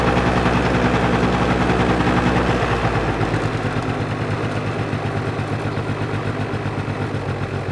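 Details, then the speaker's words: Two-stroke scooter with carburetor problem, suspected air leak through cracked rubber, electric start, manual choke: choppy idle sags and dies when throttle is given, no throttle response; lean mixture causing stalling. "Вот сейчас у него бедная смесь, смотрите, то есть вы даете газ, и у вас мотор глохнет. Видите, он сейчас вообще никак не хочет откликаться на ручку."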